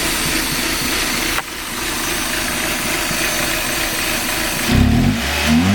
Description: Rough Idle on a Mazda 323F